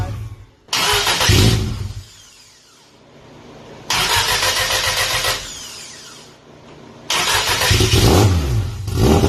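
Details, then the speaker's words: 1990 Audi Coupe Quattro drag car, GTX4508R 80 mm turbo, FuelTech ECU, after tune rebuilt from scratch: three sharp, clean rev blips each dropping back to lumpy idle, responsive; fired right up, normal running. "i had to build a brand new tune from scratch and as soon as we did that it fired right up"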